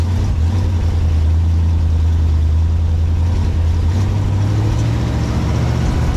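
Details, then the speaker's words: 1957 Pontiac Star Chief V8 first run after sitting at least 10 years, fed from a drip tank into the carburetor as the fuel pump didn't seem to be running: deep, even, slightly coarse idle blowing mouse nest out of the exhaust. "it's running you can see it's blowing all kinds of mouse nest out of the exhaust right now it smells absolutely"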